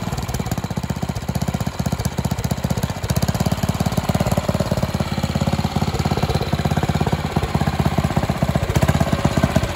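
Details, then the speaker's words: Karcher G2400 HB pressure washer, Briggs OHV engine, after carb rebuild, new fuel lines, spark plug, oil and air filter, slightly warm: fast, steady, even putter at idle, no misses; previously ran only on choke. "i change the oil so the motor is good and it idles properly"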